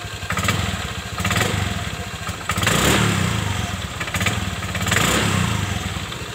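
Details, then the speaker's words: Honda Vario 125 injection scooter, sluggish on mountain roads: steady single-cylinder putter with light blips, no grinding from the clutch housing at idle; the grinding appears only when riding fast or loaded; dirty CVT. "disini tidak menimbulkan suara sedangkan kalau buat lari kencang ataupun buat muatan Suaranya sangat keras sekali"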